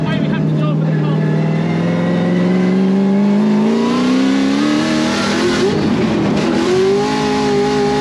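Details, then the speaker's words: Supercharged drift car on the track on its one practice lap with the small supercharger belt: engine note climbs with a rising tone on throttle as the belt slips, heard from the grandstand; later replaced with a slightly shorter belt. "Turned out we were actually slipping the belt. The boys could hear it from up in the grandstand, the belt slipping, the supercharger belt slipping."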